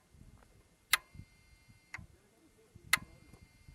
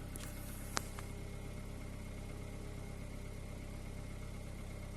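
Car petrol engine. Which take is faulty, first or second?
second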